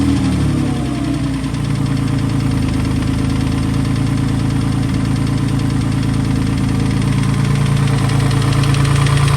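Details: Freshly built engine just installed, with downpipe and headers, first running on the ground: a rough idle with a low, uneven clunk about three times a second that follows engine speed. The knock's source is unclear; the owner fears the engine is ruined.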